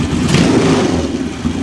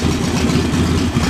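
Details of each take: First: JS flatside carburetor after installation and idle mixture adjustment (mixture screw set about 1/4 turn out, idle speed screw left as is): engine revs up quickly and drops straight back to a steady idle without hunting or stumbling; mixture sounds right, normal rev and return to idle. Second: Single-cylinder idle on newly installed JS flatside carburetor, low and lumpy, steadying into an even beat as the air mixture screw is opened to about a quarter turn out; rough idle smoothing out.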